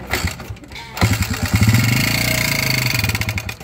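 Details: Honda TMX 155 motorcycle engine running with a hard, rapid metallic knock before an overhaul; a rod bearing is failing from oil starvation.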